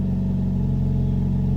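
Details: Wrecked Jeep Cherokee being rebuilt, push-button started after replacing old part: smooth, even idle, steady low hum with no knocks, misses or ticks; no put-in-park warning.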